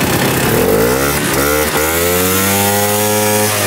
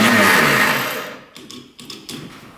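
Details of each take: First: 1960s Ski Daddler snowmobile with worn drive teeth: a buzzy two-stroke note climbs and falls smoothly as it moves a little and slows, firing evenly, and it restarts readily: normal running. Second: 1960s Ski Daddler snowmobile electric starter: a high whir that quickly winds down with no engine compression beats, then a few light clicks. The starter motor works and the connections are fine, but it spins freely without engaging the engine.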